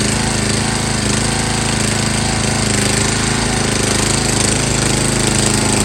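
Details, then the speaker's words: MTD Yard Bug riding mower after gear shift cable replacement (reverse problem), test run on low fuel: loud, steady rapid chugging at even speed with no misses or knocks; normal running. "it should start up this thing has been running amazing"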